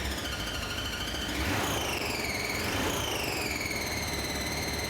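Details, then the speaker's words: Ford convertible over 80 years old, said to be a 1934, just started: high wavering squeal over a rough idle, thought to be clutch noise; clutch release bearing squeal. "What's that noise? If you let the clutch out, I think that's the clutch noise you're hearing."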